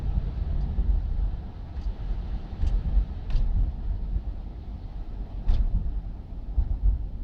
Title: Oldsmobile 88 Rattling Noise in passenger belt area or possibly floor area at shifts